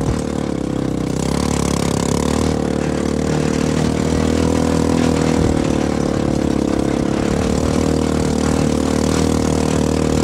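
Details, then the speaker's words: CFMoto 250cc 172MM GY6-type single-cylinder buggy after head rebuild (new head, piston, valves) and a re-spliced old pickup coil replacing a bad part, out in the desert under load: strong steady drone holding smoothly under throttle, no misses or knocks; running healthy. "But now I have a brand new head. I've since taken it back out to the desert. The thing ripped."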